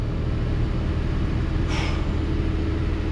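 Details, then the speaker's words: Nissan Xterra first start after installing a new A/C compressor (old clutch failed) and a new serpentine belt: low, steady engine rumble with no belt chirp or squeal; normal running. "So hopefully we won't have any squeaks or anything from the belt, well, other than it kind of working itself into place. So here we go. All right, sounds good."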